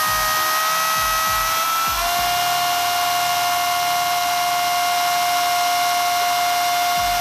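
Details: Traxxas Rustler VXL 2WD RC truck after Boca ceramic bearing upgrade to rear end, break-in run on 3-cell battery at 4.15 volts per cell: clean whine steps up in pitch, then holds high and steady, no grinding or rattle; drivetrain spins freely.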